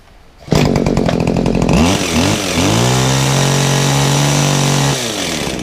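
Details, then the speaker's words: Kawasaki two-stroke hedge trimmer on 50:1 fuel, with an unadjustable carburettor: a couple of sharp blips, then a steady, even high-speed buzz with no stumbling; the owner feels it wants a bit more on the top end and may try leaner fuel. Normal running. "I can't improve it any more than one of these it does want a little bit on the top end I may try running some slightly leaner fuel for it that might help"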